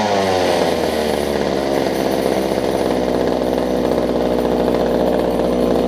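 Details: Older Homelite two-stroke hedge trimmer after new fuel lines, primer bulb and carb tuning: steady high buzzing drone at constant revs with no stumble or surging; runs evenly.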